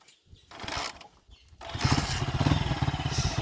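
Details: Honda Titan motorcycle after engine rebuild replacing connecting rod, cylinder parts and rod bearings to cure earlier tappet and rod noise: after some handling it catches and settles into a steady putter with no knock; bottom end sounds healthy.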